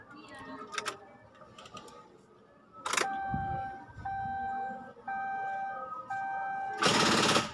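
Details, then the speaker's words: Timor DOHC (Kia Sephia S515i) key start: the solenoid buzzes and chatters with heavy clunks but the starter won't crank. The battery is flat, confirmed beforehand with a digital voltmeter. "Nah, ini starter tidak bisa nyala ya teman-teman, bunyinya seperti itu. Coba kita ulangi. Nah, seperti itu bunyinya. Ini gejala baterai tekor ya teman-teman."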